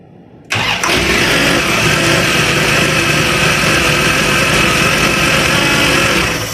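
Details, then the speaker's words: Van with a newly installed carburetor starts right away and settles into a steady, even run with a faint belt chirp. The alternator belt is frayed but not cracked, and wobbles. "Okay, well, at least it started right out."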